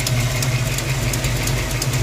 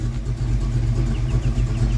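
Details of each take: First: 1982 Ford Mustang GT V8 with old short-tube headers and H-pipe, idling, recorded under the car and in the engine bay: rumble with sharp ticks about three per second from a driver-side header leak at cylinder 8. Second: 1982 Ford Mustang GT with '90s short-tube headers and H-pipe, heard from the rear after header reinstall fixing a driver-side exhaust leak: deep, smooth rumble under light throttle, no loud ticking; only very slight ticking remains up close.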